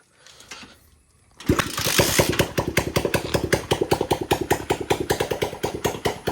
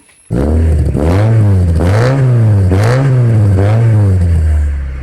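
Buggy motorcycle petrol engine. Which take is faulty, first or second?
second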